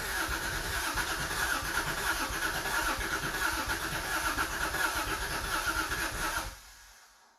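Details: Subaru SVX, expected not to start: starter churns steadily about six seconds with no firing, then stops; crank no start, owner then suspects crank sensor, ultimately traced to the ECU.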